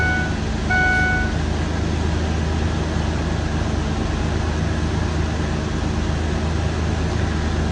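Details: 2004 Ford Explorer 4.0L V6 with a not-charging complaint, after reinstalling the alternator wiring and drive belt: deep, steady, even idle rumble with no knocks, squeals or belt-side whine; normal idle, charging test passed.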